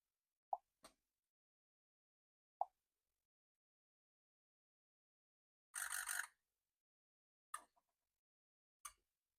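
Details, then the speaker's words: 2005 Ford F-350 6.0 Powerstroke with slight misfire, key on engine off, scanner electrical self-test: injectors chatter one by one in short bursts but number eight stays silent, electrical fault on its solenoid side; dead injector. "no number eight you hear that okay so it looks like number eight has an electrical fault on solenoid side"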